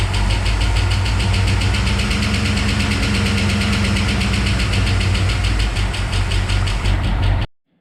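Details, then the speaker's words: Ford 302 (5.0L) V8 in a Bronco, first start after regasketing, new timing chain, water pump, oil pan, main seals: rapid slapping tick following engine speed over rough idle; fan belt or fan was hitting an obstruction. "It was making a kind of scary sound, but then it ended up actually being the fan belt was hitting. There was something like kind of in the way it was just hitting, or the fan was."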